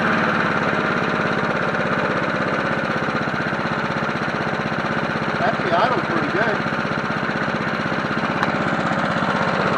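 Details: Free 1980s John Deere NO20K push mower as acquired, first run before maintenance, filmed from tripod: steady single-cylinder buzz at even speed, no misses or knocks; engine runs normally.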